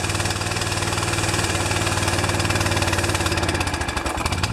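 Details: Pressure washer small engine with automatic choke, fresh oil, new air filter, possibly damp fuel, running outside on grass: lumpy, uneven beat stumbling and coughing toward the end; running over-rich, choke stuck on after being tampered with.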